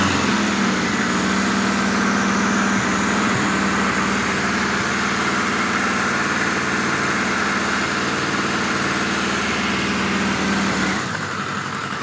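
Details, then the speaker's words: 1986 Voyager XII 1200 four-cylinder after restoration, vacuum caps fitted, near-stock jetting (110 mains, 38 slows), still seems a little rich, cool day: fairly even steady idle, busy exhaust note, no misfires; much better than before, normal idle. "So as you can hear, that's a hell of a lot better than it's been before."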